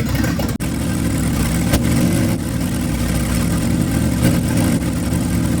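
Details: 1965 Ford Thunderbird with FE 390 V8, just restarted after troubleshooting: steady, even idle with a smooth low rumble, no misses, knocks or hunting; normal idle.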